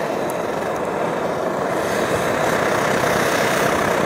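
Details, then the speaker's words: Optimus Hiker+ stove, primed with alcohol and lit, flame being turned up: steady hissing roar with fine, fast uneven crackle rising slightly; typical normal burner sputtering, not a problem. "You can hear the funny noise, that sputtering noise that these burners make, and that's pretty normal. It makes a sputtering noise, and that's not a problem at all."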